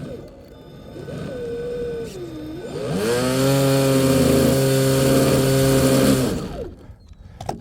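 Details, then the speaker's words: TFL Ariane 51" carbon twin Arneson drive RC boat, 56mm 1000kv motors, 300A ESC: drive spins up to steady even whine with rougher edge; owner suspects loose grub screw; stuffing tubes, motors, ESC ice cold. "it's not the cable stuffing tubes are ice cold Motors are ice cold ESC ice cold maybe my grub screw come loose in there I can't if it did I can't believe it"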